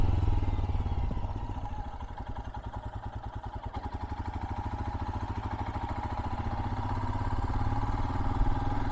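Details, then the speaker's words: 2022 Royal Enfield Himalayan ride-by: steady, even single-cylinder exhaust thump swelling and fading as it passes, no knocks or misses, a normal exhaust note. "I have just a small clip of me riding by with one of these machines, so you can hear the exhaust and kind of see and hear it in action."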